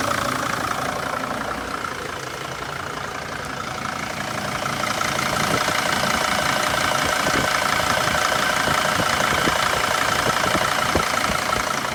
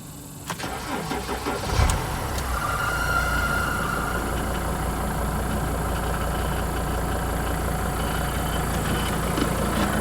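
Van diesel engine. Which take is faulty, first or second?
second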